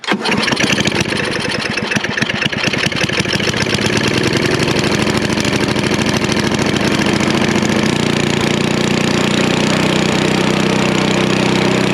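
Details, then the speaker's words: Snapper I 422 snowblower, previously non-running with bad gas and a suspected dirty carburetor, restored: starts, then settles into a steady chugging idle that doesn't miss or hunt; a normal, confident idle. "You can hear at idle, it's chugging along, but it's not really missing. It's not searching. It's just nice and got a nice confident idle."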